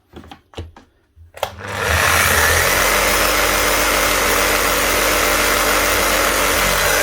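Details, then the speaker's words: Bosch GBH 5-40 DCE, well used, fitted with new brushes and run with the cover off: steady hum under heavy crackling hiss, with big heavy sparking and quick heat. The armature is worn, damaged and overworked, and on its way out. "It's running, as you can see, but there's a big heavy spark out of it. So that is just on its way out. Armature's damaged, it's been overworked, and it's sparking heavily."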